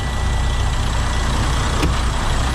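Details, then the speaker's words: 2011 Freightliner Coronado with DD15 diesel, after replacing fuel injectors and harnesses and priming the fuel system: fires right up into a steady, even idle with a low regular beat, no knocks or misses; normal idle. "he's trying and she fired right up wow that worked fantastically"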